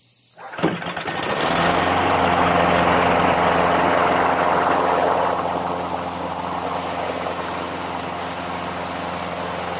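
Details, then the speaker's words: Craftsman 917.385121 21" push mower with Briggs & Stratton Classic L-head flathead engine, after tune-up (oil change, new plug, foam air filter): starts and settles to a steady, fairly slow drone, no knocks; governed speed believed a little low, RPM to be adjusted. "And I'll be adjusting the RPM. I believe because it was a little on the slow side..."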